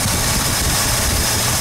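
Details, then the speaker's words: 1972 Ford 302 small-block V8 idling during running valve adjustment: steady idle, even beat, quiet valvetrain, smoothing out as excess oil pumps out of the hydraulic lifter after adjustment; normal idle. "You hear how it smooths out? That's the oil."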